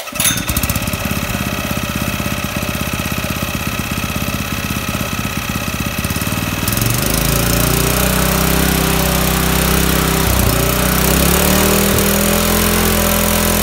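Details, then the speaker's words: Honda GX160 on a fire-fighting pump, first run after fresh engine rebuild: fast, even putter for six seconds, then speed jumps and holds high with slight wander; runs fine but idle speed needs governor adjustment. "I just got to work on the idle speed because it's a governor adjustment"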